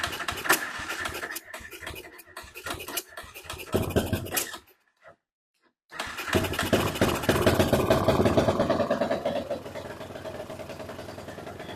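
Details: BSE J10 single-cylinder dirt bike after repairs, tank refitted, not yet warmed up, carb still needing tweaking: fires after a short pause, revs climb and fall cleanly without bogging; revs now build normally.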